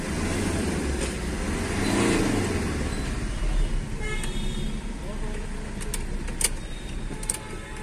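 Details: Tata Vista diesel, fault code P0193 fuel rail pressure low, starting problem, after replacing the pressure pump and fuel filter: settles into a steady, even idle with smooth lift when revved, no knocks or misses; running healthy.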